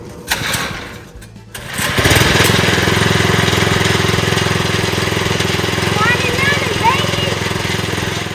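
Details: Old Wheel Horse tractor with a new 79cc Predator engine, first start with fresh gas and oil and choke on: a few pulls, then it catches at about two seconds and settles into a steady, even chug.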